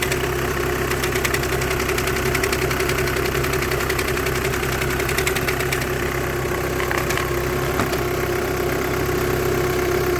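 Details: VW 2008–2014 with DSG gearbox at idle: fast, uneven metallic ticking rattle over the engine hum; suspected clutch plate, clutch bearing or clutch plate vibration, not confirmed.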